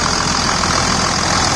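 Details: 2000 Dodge Ram 2nd-gen Cummins diesel after bypassing problematic AC compressor pulley with 65" non-AC serpentine belt: steady low-rumble idle, no belt chirp or squeal; new tensioner, previously wobbling, now holds steady; normal idle.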